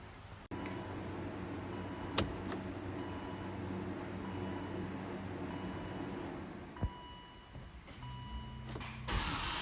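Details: Car engine started after temporary Eternabond patch on cracked aluminum oil pan and refill; catches quickly, oil light off right away, settles into quiet even idle, no knocking or rattles. Normal start and idle.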